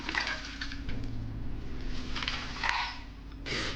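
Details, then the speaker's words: BMW E30 (M50 engine) muffler removed during an exhaust swap: a gritty, loose rattle comes in bursts when shaken, like rice in a tin. Loose rust debris is inside the muffler. "A lot of rust in there. >> I don't know if you guys can hear that, but it's not supposed to sound like there's rice in here."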